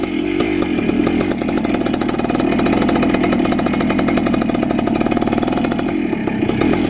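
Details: 1976 Honda MR175 Elsinore two-stroke, first run after engine rebuild: fast steady buzzing with rapid crackling firing, never settling to a slow idle even with idle screw all the way in; cause unknown, adjustment pending.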